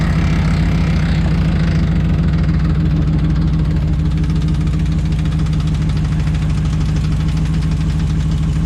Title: Rattling Noise RAM1500 2011